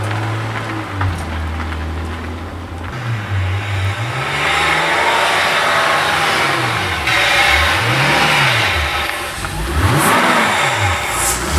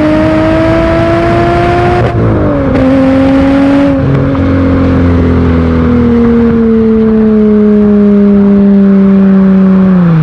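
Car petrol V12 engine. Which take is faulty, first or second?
first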